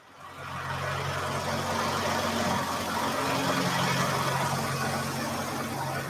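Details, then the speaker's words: 1949 Studebaker Champion engine running after revival: steady, even idle with a smooth low hum, no knocks, misses or surges; runs well though the throttle sticks because it lacks a throttle return spring; a squeak was suspected earlier, throw-out bearing or vacuum leak. "thing runs good yeah it's just the throttle gets stuck"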